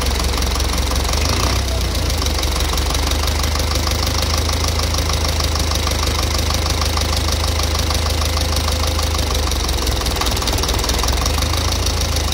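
Steady idle with a sharp, regular tapping of about three knocks a second riding over the engine; a knock of unknown origin.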